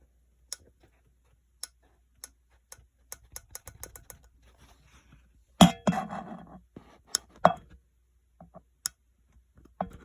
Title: Can anyone explain why my 15 is making clicking noises?💀